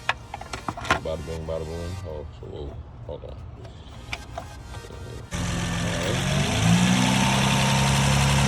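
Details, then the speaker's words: 2011 Honda Accord EX 3.5 V6 with muffler and resonator deleted, idling after EGR cleaning. After some background clatter it settles into a steady, even, deep idle with a loud open exhaust; the idle sounds more consistent than before the cleaning. "the idle sounds more consistent"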